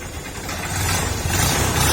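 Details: TMX Supremo 150 single-cylinder motorcycle after water was drained from the tank and the carburetor cleaned and reassembled, previously hard starting and dying on throttle: now pulls up smoothly and holds revs with no stumble, healthy throttle response.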